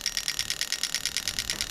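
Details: Toyota Soarer/SC400 1991-94 V8 on a bench test of a new automatic gearbox harness; injector 6 ticks crisply and evenly about nine times a second with no misses, firing normally.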